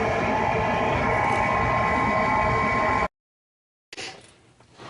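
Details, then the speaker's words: Furnace draft inducer motor that squealed and failed to start; a replacement capacitor helped only briefly: a steady motor roar with a thin constant squeal from the failing motor, before the whole inducer is replaced. "it wasn't too long after that the motor itself started to give out and you can hear it right now squealing uh so I ended up ordering a new drafted the whole unit"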